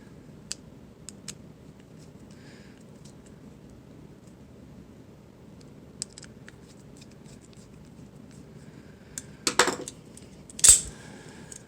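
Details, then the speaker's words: Lightning OTF knife: sharp metallic snaps with short bright ringing, spring twang and vibration felt through the handle for about two seconds after the blade deploys or retracts. "I pretty sure you can feel and hear the spring twang noise vibration scenario in your hand coming through the handle for about two seconds after the blades been deployed or retracted"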